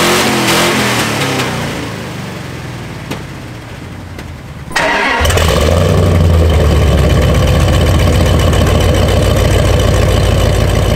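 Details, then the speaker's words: 2nd-gen Dodge Ram, before long tube header install: starter cranks, engine catches into loud raspy puffing rumble at idle and revs, NASCAR-like; exhaust leak from rusted-through header pipes and open collector. "look at that that pipe is all the way gone so's the one below it the whole collector in there is just open that's why I twice think kind of sounds like a NASCAR it just uh yeah a lot of holes"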